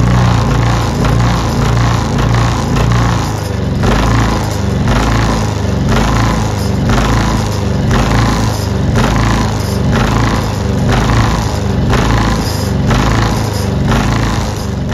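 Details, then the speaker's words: Ryobi 2300W inverter generator at idle: engine speed swells and sags about once a second, surging badly; clogged carburetor pilot jet starving the idle circuit, fixed by cleaning the carburetor. "it's running pretty bad it's surging up and down like crazy"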